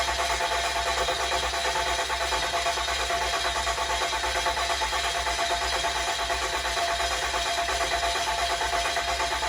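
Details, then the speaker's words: 2007 6.7 common-rail diesel swap built for 1400 hp, first start attempt: steady starter cranking about three beats a second for eleven seconds with injectors unplugged, dry-cranking to build oil pressure; no start. "Freaking common rails takes so long. Dude, to crank."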